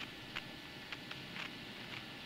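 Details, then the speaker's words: Old apartment intercom handset, after the door station was replaced: faint hiss with short irregular crackly bursts about every half second; remaining noise suspected from a corroded, poorly contacting hook switch in the handset, which is then cleaned with contact cleaner. "講那麼多其實就是雜音還沒有完全消除啦我承認我推測是話機裡面的掛鉤開關接觸不良所導致的"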